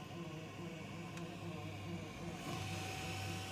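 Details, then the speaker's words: Faint fast buzzing pulse about four times a second over a low hum while a switchback LED fog light bulb for a Ford F-250 Super Duty is powered for a test before install; the owner finds the vibration odd, cause unknown. "So turn it off and turn it on. Oh, and there you go. Weird, what's causing that vibration?"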